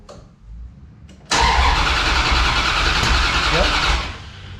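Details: Dodge Dakota R/T 5.9L Magnum V8, new heads and cam, cranked with a spare plug in cylinder 1 to check spark; fuel pressure present, spark present. Steady cranking about three seconds with no catch or firing; crank-no-start.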